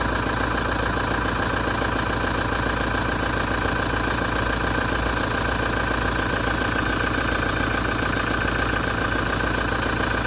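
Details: 2017 Toyota diesel at idle after a major service: a regular knock, three or four a second, with a harsh metallic grinding rasp; the cause is undetermined.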